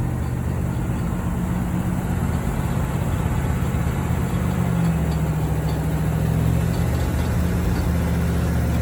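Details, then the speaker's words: 1973 Corvette V8, first drive in 5 years, shakedown: steady low V8 rumble with rough uneven churning underneath; loose power steering pulley that wiggles, pump possibly run dry, no power steering assist. "That crazy noise I was hearing, I can take the power steering pulley and wiggle it back and forth."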